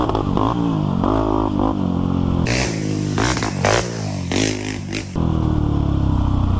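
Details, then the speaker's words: Honda 400EX quad, revived after lock-up with jetting sorted, ridden on a track: single-cylinder revs up and down cleanly through throttle blips with no knocks or misses, pulling strong and smooth, healthy under load. "this thing sounds good I was running this thing out the old track used to go around the curves"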